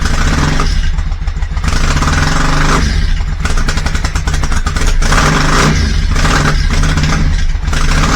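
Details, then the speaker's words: Yamaha Virago 535 V-twin started cold during a full service with new oil and filter, air filter and spark plugs, before the fuel filter change. It starts a little easier but the idle is lumpy with dropped beats: a misfire, cause not yet found. "Well, it seemed to start a little easier, but there was something of a misfire there."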